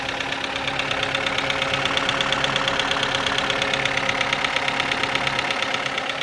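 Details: Kia Ceed engine: a sharp, even metallic clack about twice a second rides over the idle, cyclic clicking from the top end of the engine; top-end ticking knock.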